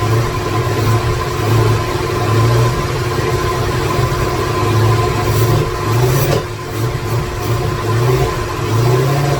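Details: 2017 Corvette Z06 with Texas Speed 416ci stroker, Holley port injection, first fire-up with no tune, no coolant: deep lumpy idle surging about every second, hunting and never settling; rough idle from missing tune.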